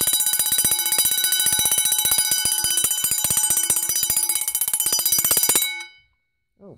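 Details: Vintage Vulcan Autosonic Mk. 30-A (VA-M-30FT) windup heat detector bell set off by test button: rapid even strikes about four a second, bright metallic ring, stops cleanly; working properly.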